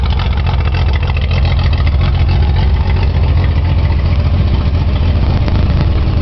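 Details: Nissan 280Z idling with a bad injector stuck open: lumpy, uneven idle with an irregular stumble in the low exhaust beat.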